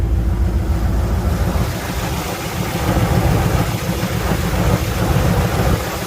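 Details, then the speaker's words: 1977 Chevrolet Nova Concours survivor during the drive home, needing a tune-up: loud, deep, uneven idle with lumpy stumbling beat, made louder by the blown-out muffler; car has a pretty good miss, cause not confirmed. "Well, you want to know about that blown out muffler? There it is. Car's got a pretty good miss now."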